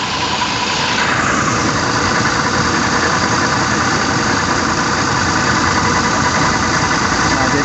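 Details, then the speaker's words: Toyota New Fortuner, AC on, idling, heard close to the compressor at lower left: rough gritty growl ("ngorok") under the engine sound, abnormal, and smooth when disconnected. "itu kompresornya suaranya jelas banget kalau dari sini kita"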